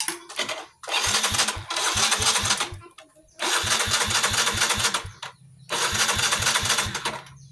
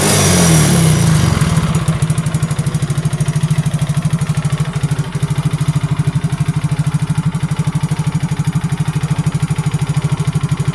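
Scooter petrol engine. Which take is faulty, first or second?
first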